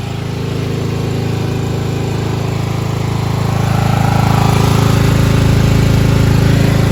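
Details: 1995 Craftsman LT4000 lawn tractor single-cylinder engine after removal and sump gasket replacement, no battery fitted: even steady thump about four beats a second, rising slightly, no knocks or misses; idling nicely, normal.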